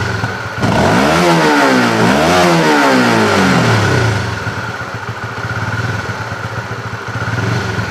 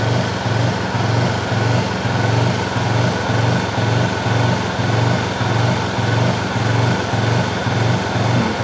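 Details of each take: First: Honda CB fuel-injected motorcycle, rechecked while checking the throttle position sensor: engine rises and falls cleanly through three quick blips, no stumble, then settles to a steady idle; throttle response now normal. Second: Honda CB fuel-injected motorcycle, still bucking after five services: at light throttle the engine swells and sags about twice a second, rpm rising and falling even with the throttle held steady.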